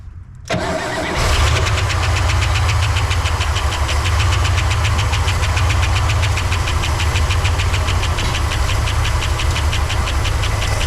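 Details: 1964 Oldsmobile 98 V8, first start after years sitting, old fuel, carburetor bowl filled by hand: cranks and catches, then slow lumpy low idle around 600 rpm with uneven beat; runs rough at low speed.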